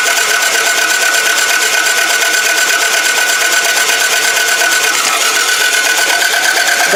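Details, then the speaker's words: Toyota Camry demolition derby car: fast, even cranking that never fires because the timing belt has jumped. "so this timing belt is jump that's why this motor just not fire there"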